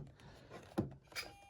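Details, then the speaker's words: Small combat robot with new Turnabot ESC/receiver/mixer, wedge pressed all the way down: a click, then a thin steady whine as the servo strains, stalled at the end of its travel in the up position. "going to press the wedge all the way down. You can hear the servo whine. It's not getting any better, so clearly this is the up position."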